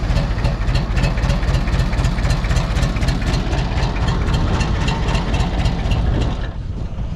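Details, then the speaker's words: Mitsubishi BD2F dozer diesel, first start in a couple of years, low on fuel, injectors cracked open: slow labouring crank about four beats a second on weak batteries, then catches into a rough idle; slow cranking from weak battery. "so I don't know if we're ever going to get enough battery boy just ain't getting much out of those"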